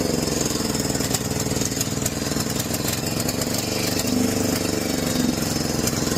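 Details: John Deere 6200-watt generator with a carburetor varnished by four-year-old fuel. Even after cleaning, with the choke fully off, it holds a busy, slightly unsteady, hunting drone and the outlets give no power. A new carburetor was ordered.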